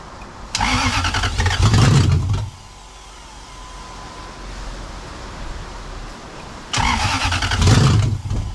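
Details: Jeep KJ with a swapped-in Lexus UZFE engine, after deleting the SKIM immobilizer and wiring a push-start button kit: the engine catches quickly, revs strongly, settles to a quiet steady idle, then revs cleanly. A normal start and idle.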